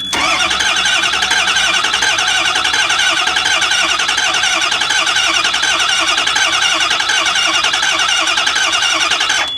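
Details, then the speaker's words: Ford E350 6.0 diesel bus: steady starter cranking about 80 turns a minute for ten seconds, never catching; crank no start from no injection control pressure, though checks look good, about 50 volts at the IPC (spec about 48). "so everything here appears to be doing what it's supposed to do but for some reason it just it it it doesn't do anything"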